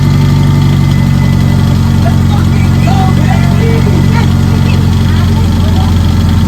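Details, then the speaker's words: Mitsubishi Evo 8 engine swapped into an Evo 6, first start: quick light ticking about four a second over steady idle, isolated to a lifter sitting low/unseated so its rocker moves back and forth; others fine. "well there you go that's what my tapping is and then obviously this rocker is going back and forth and all these other ones are all good all right so I think we just isolated the noise to right here"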